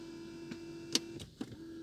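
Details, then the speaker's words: BMW E60 seat whose extending support section will not move: a faint, steady seat-motor whir with a few clicks and no change in load. The motor runs but the extension doesn't extend. "jak silniczek wzy ale nie wyjeżdża"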